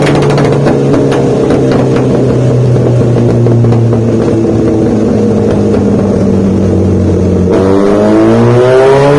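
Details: Honda CBR1000 on a dyno run: a high-revving four winds up under load with sharp, irregular pops early in the pull; the cause of the popping is not stated.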